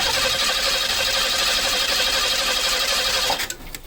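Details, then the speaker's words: 1986 Pontiac Fiero GT, spark tester between plug and distributor coil lead: even, quick starter chatter with no firing, then stops; cranks freely but no spark. "and no spark either"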